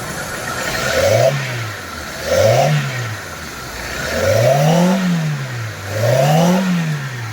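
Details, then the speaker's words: Hyundai i10 1.1 CNG petrol engine blipped four times, revving cleanly with no popping or stumble, after fixing spark plug cable fitting that caused CNG backfire and misfire; more power, less vibration. "जो पहले power था उससे भी ज्यादा power हो चुका है और वाइब्रेशन भी हल्का सा कम हो चुका है"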